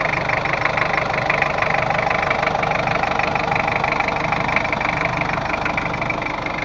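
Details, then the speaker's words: Ford Ranger 2.5 double-cabin diesel after redoing a previous poor engine overhaul (compression leak, power loss, oil seepage): steady even clatter with no misses or knocks; leaks gone, sound back to normal, drives well after road test. "untuk mesinnya udah normal kebocoran pun gak ada udah kita coba jalan-jalan ternyata aman dan enak udah tarikannya"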